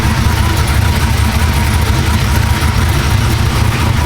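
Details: Supercharged LSA 6.0 V8 Silverado build (about 700 hp) running after first start, with a mock-up intake: loud, steady, deep rumble with an even beat and no misses, knocks or rattles. Healthy running.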